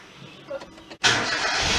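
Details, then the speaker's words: Datsun Go+ right after fitting a new battery: brief quiet crank, then engine catches cleanly and settles into steady, even run; normal engine start. "whoa superb see started amazing"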